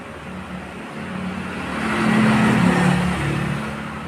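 Small single revs up and drops back, with the beat stumbling unevenly rather than running smooth, pointing to a misfire.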